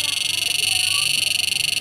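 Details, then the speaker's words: Susan 835MP stun device (setrum PDC) after reinstalling the SCR: rapid, perfectly even high-pitched pulsing at about 25 beats a second, sound and light both working, normal output. "nah ini masih normal ya teman-teman bunyinya keluar lampunya juga menyala"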